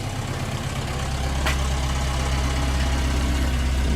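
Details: Air-cooled VW after repair, previously chugging and unable to exceed 50 mph, now idling before the owner drives off; even, low rumbling idle with a steady beat and one brief click, no chugging. Normal idle.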